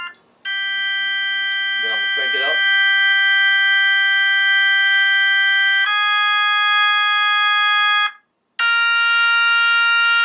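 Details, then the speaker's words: Vintage Leslie upper horn driver (V21) test-played from a Hammond organ with drawbars out at low then high volume: sustained chords ring clean with no buzz or rattle; driver is healthy. "you should not get any buzzing clear like this that sounds good that's good that's good clean v21 that sounds fantastic"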